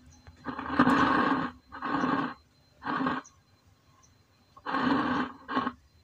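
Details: Homemade active speaker with weak, humming or no sound: five rough growling bursts, each about a second, separated by quiet gaps and with no music. The cause is a poorly connected potentiometer cable, not the capacitors.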